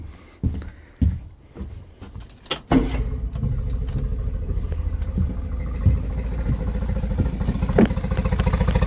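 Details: 2013 Yamaha 9.9 four-stroke outboard with spark tester inline on lower cylinder: after handling noise it fires and runs slow and lumpy with uneven pulses; spark very consistent, so not electrical; rough idle from plugged carburetor.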